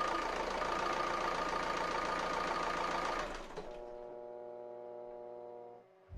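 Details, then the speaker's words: Renault Scénic 1.9 dCi 120 hp overhead-cam diesel idling after injector replacement: sharp metallic clack in time with idle over normal clatter, valve clearances checked fine, source unclear; metallic engine knock persists. "finalement je n'ai pas réglé le problème j'ai toujours se claquent au vent et ça c'est pas bon signe"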